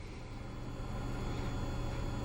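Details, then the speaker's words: Hcalory 5–8 kW 12 V diesel air heater, newly assembled, first power-on to check the fan for rubbing against the housing: a soft, even low hum with no scraping; the blower fan runs normally. "Quick press on the power. I hear the fan."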